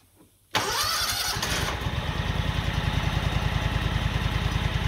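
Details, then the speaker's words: John Deere 737 ZTrack zero-turn with a 23 hp Kawasaki V-twin at 775 hours, just after valve adjustment (intake and exhaust 0.004–0.006"). Even idle of about three beats a second; the earlier constant valve tick is gone. Normal idle. "wish i'd have done a before and after because that is so much more quiet than it was before because before it was just a constant tick tick tick tick tick tick tick tick tick and that is that is world's better"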